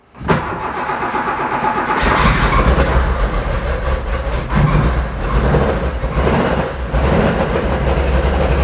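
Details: Porsche 911 2.8 RSR build flat-six on Link ECU: runs rough and lumpy and smokes a lot, uneven beat instead of a smooth six-cylinder hum; misfiring with cylinders 1 and 5 not firing.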